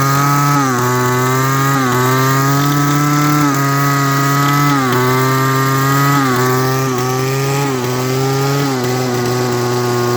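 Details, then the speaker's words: Echo SRM-200BE two-stroke weed eater started on choke, throttle held: high buzz dips and stumbles about once a second, misfiring, losing power then dying; cause not confirmed. "so that's what happens when I hold down on the throttle and don't let go of it it runs starts misfiring and then loses power and then dies"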